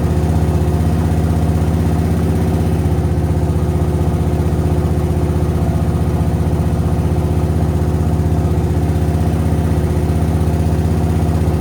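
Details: Suzuki VS1400 Intruder V-twin after carb work and cleared pilot jets, rear cylinder previously dead, on choke: steady, even low burble at idle with both cylinders firing in an unbroken rhythm; running cleanly.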